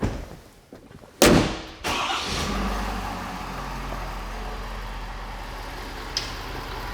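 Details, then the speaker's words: 2021 Ford F250 6.7 diesel after replacing a CP4 fuel pump deliberately damaged with abrasive: one crank burst, catches at once, steady even diesel idle without stumbling or knocks; normal start and idle. "luckily we're just able to replace the pump and and be up and running so we'll fire it up and pull it out of here and you can see the effect of just a pump replacement"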